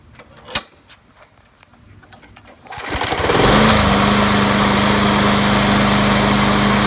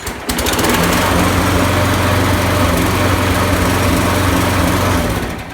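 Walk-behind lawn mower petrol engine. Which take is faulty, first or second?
second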